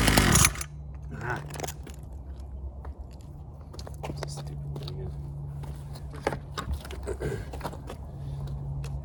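A small single putters unevenly at a low, steady pitch with scrapes and knocks around it, running rich on choke from cold.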